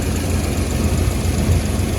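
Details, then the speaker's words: Holden HT 308 V8 after cracked exhaust manifold repaired with MIG welding and bolt/stud clearance adjustment: deep, even idle burble with no ticking or puffing from the manifold; exhaust leak fixed, normal idle. "all righty we're back running again after it's uh had to come off again for the third time just for a little bit of a bolt adjustment"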